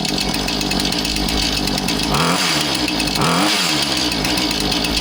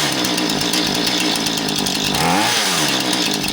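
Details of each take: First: Husqvarna 435 chainsaw after repair for failing to idle down: revs high and buzzy, then drops and settles to a steady low idle, now returning to idle properly. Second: Husqvarna 435 two-stroke chainsaw won't idle down: idles fast and buzzy, pitch dipping when the throttle shaft is pushed down by hand; binding in the throttle rod or carburetor suspected, throttle rod ruled out.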